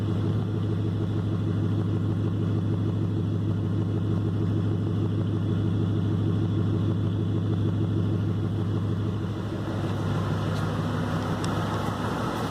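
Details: Triton engine: steady low rumble with uneven lumpy pulse about three times a second, idle stumbling like a cylinder misfiring; noise seems to come from one general region of the engine, cause not confirmed.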